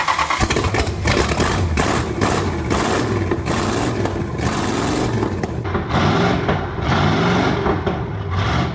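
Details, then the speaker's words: Original 1970 Plymouth Superbird 440 V8, A833 four-speed, stored in pieces 40+ years, first start during three-day rebuild with quickly reconditioned carburetor: brief crank, catch, then deep steady V8 lope, no knocks or misses; runs healthy. "it runs counts we have a running Superbird tomorrow burnouts they will hear that coming"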